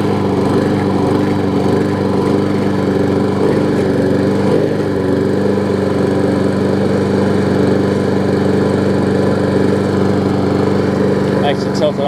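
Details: Bolens mulching mower trade-in, air filter off, on starter fluid; runs on its own with an uneven, sagging beat, struggling to hold speed, barely alive. The engine showed heavy neglect and signs something had been living inside.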